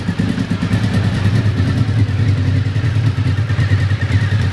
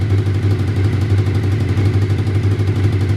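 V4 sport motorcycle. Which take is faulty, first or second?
second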